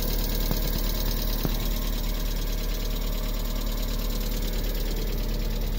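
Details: 1998 MGF, first run in a few months, revving; steady low drone with a loose, uneven knock about two or three per second; abnormal internal engine noise, source unclear.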